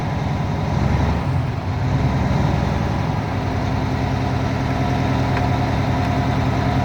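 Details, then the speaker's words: UPS truck diesel at idle during pretrip air brake tests, pressure rebuilding after brake application: low even chug of the air compressor pumping up; normal. "anytime I got to check one of these, I got to make sure that my air pressure is completely built and I hear the governor kick off before I can try to test it."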